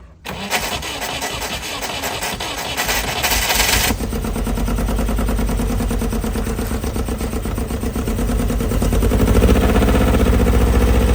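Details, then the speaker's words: Loral Toal Nova 80s kit supercar with previously seized engine, first running after about 30 years in a forest, newly fitted cooling system not circulating: steady low idle slowly climbing; high idle from overheating, thermostat closing very slowly. "The cooling system was fitted, but it wasn't cooling the car. That's why that idle was going up like crazy."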